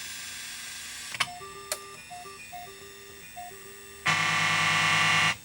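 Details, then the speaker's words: 1982 Bally Midway Tron arcade PCB, sound chips swapped between spots to isolate the fault: thin beeps, then a harsh buzzy held tone on coin-up instead of clean game audio; that sound chip is bad. "Yeah, this one's no good."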